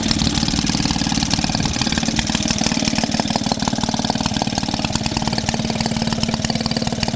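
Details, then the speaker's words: Maytag Model 72D washing-machine single-cylinder engine after repair for no-start, adjustment set: steady even putter about three beats a second, running happy and smooth though engine shakes on its mount. "She's sounding quite happy now. But she is moving about on here like no tomorrow. I'm just quite pleased to have her going again, that's all."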